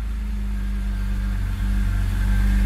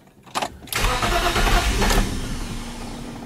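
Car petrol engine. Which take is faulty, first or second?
second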